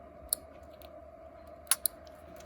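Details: Triumph TR7 restoration, electrics tested without engine: green wire powered to relay terminal, few sharp crisp clicks over faint hum as relay pulls in cleanly, giving power to red lighting wire.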